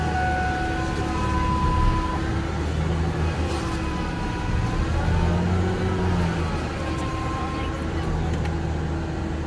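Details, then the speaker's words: Truck with intermittent power steering loss on sharp turns, after a fix without bleeding the line: wavering whine over idle, pitch bending as the wheel is turned side to side; power steering pump whining, typical of these trucks. "and with these trucks I'm doing it in they always [Music] whine"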